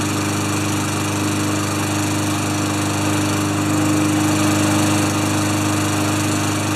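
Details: Craftsman mower with Tecumseh engine after new air filter, clean plug and sharpened blade, oil low and topped up: steady, even drone at constant speed with no misses or knocks while warming up; normal running.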